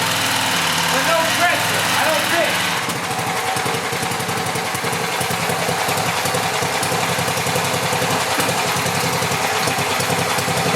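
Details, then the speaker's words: Cheap returned pressure washer's small engine: it holds a steady low idle patter and never climbs in speed wherever the engine speed control is set; faulty throttle linkage, possibly a worn-out spring. "the only problem i've noticed so far is that no matter where i set the engine speed control it just wants to idle to get the motor to rev up i had to manually move the throttle valve over here so there's something wrong with that linkage"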